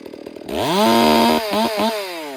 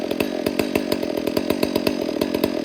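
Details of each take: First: Freshly rebuilt 460 chainsaw being broken in, held at wide open throttle while the high-speed screw is turned leaner: revs climb to a clean, smooth steady scream with no burbling sputter; high-speed mixture set too lean, which worsens once hot. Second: Rebuilt Garrett 460 chainsaw, being broken in and carburettor tuned by ear: richening the low-speed screw drops the idle and even two-stroke popping settles straight back down to idle; target idle about 2,800–2,900 rpm; low-speed mixture set right.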